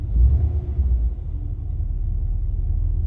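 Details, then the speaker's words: 1985 Chevrolet Caprice Classic, 5.0L 305 V8, about 152,730 miles, after EGR valve replacement. Low, even idle rumble with no misses, knocks or hunting, compared with the earlier low, rough, stalling idle. "okay so far it's idling pretty good"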